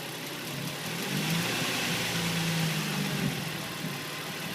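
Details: 2005 Nissan 350Z at idle: quick, fairly regular tick about three per second over a soft hum, seemingly from below the intake manifold; owner suspects injectors or hydraulic lifters, cause unconfirmed.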